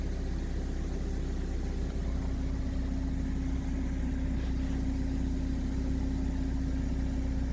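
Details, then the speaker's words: Toyota rear-wheel-drive car, rear wheel turning after the noisy rear wheel bearing was replaced: smooth, even hum with no growl or grinding; new bearing makes no noise. "al girarlo realmente no provoca absolutamente ningún ruido"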